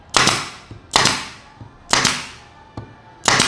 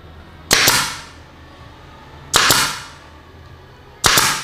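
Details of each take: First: Pneumatic nail gun driving 3 cm F30 nails into kayu jati Belanda at 3 bar set via the air filter regulator: crisp shots with a clean exhaust hiss, smooth and optimal at the recommended pressure. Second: Nail gun with regulator removed, fed directly from the compressor tank at full 8 bar, firing 3 cm F30 nails: hard, violent cracks with hiss, overpowered.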